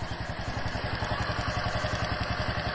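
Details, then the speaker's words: Wave 125 single, warmed up before adjustment: light, quick ticking over even idle, in time with the engine; loose valve clearance, tappets need adjusting; o-ring on top leaking. "Okay, sekarang aku nak adjust tepek Wave 125 ni. Dia dah bunyi Dia bukanlah bunyi kuat sangat pun, tapi dia bunyi lah."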